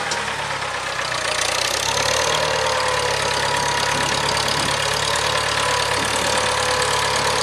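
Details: 1975 International Harvester 574 four-cylinder after carb main jet adjustment: steady, even engine note holding one speed with no misses, knocks or surging; running smoothly.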